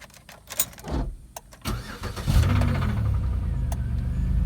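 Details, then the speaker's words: Auction car with 3400 engine showing a bad oil leak; briefly turns over, catches first try and settles straight into a steady idle; normal engine start. "cranks right up sounds like she got a run not from hell i'm not gonna run that for too long"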